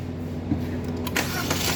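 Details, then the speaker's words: Hyundai Grand i10 (2025 model) first start after complete engine overhaul, oil added and air cleaner fitted: engine catches and settles into a smooth even idle with no knocking or rattle; sounds healthy. "Diba, start mo. O, sige, start. Ganda na, oh."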